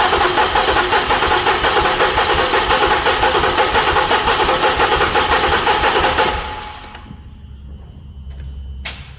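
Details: 2008 Lincoln MKX (Ford Edge) during compression test, fuel pump relay pulled, cylinder 4: starter spins steadily about six seconds with even compression pulses, no firing; about 190 psi, normal cranking.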